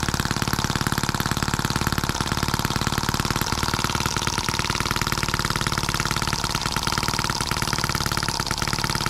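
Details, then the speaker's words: Scale model Atkinson-cycle engine (M14, labelled EM1), first start right out of the box, oiled, no throttle, own exhaust, runs counterclockwise: quick, even single-cylinder popping with a crisp steady beat and no misses, running a bit fast; normal running. "oh we had it looks promising that crazy thing runs pretty good a bit fast but listen to it before it was great a cool little engine"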